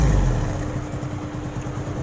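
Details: Hero Splendor Pro motorcycle after repair, timing roller changed: low, steady putter with an even beat and no tapping or rattle on top, a clean healthy normal idle.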